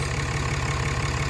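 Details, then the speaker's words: 2016 Ram 2500 diesel just after installing a new Fleece Cheetah turbo, which replaced the OEM turbo with a failing actuator, idling about five minutes without load to flush the housing: steady, even idle with a smooth low rumble and light ticking. Normal idle. "and we're going to sit here and let her idle uh I think fleece said in their paperwork uh fire it up and just let let it idle"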